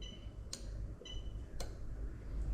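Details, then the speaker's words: 3UZ-FE VVT-i V8 swapped into 1998-2001 USDM Lexus IS300 with new harness, diagnostic active test of AC magnetic clutch relay: crisp single relay clicks about a second apart; ECU controls relay properly. "i'm gonna go into ac magnetic clutch relay i'm gonna pop in there and again we're just looking for a relay to click"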